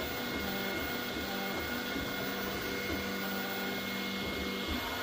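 Stepper motors whir through shifting pitches under a harsh, gritty rasp that sounds like something grinding during printing.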